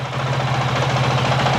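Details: 2023 Honda CRF450X with original thermostat setup, stationary 5-minute idle warm-up test, staying under half operating temperature: smooth, steady single-cylinder thump, even pitch, no rattles or misses; normal healthy idle.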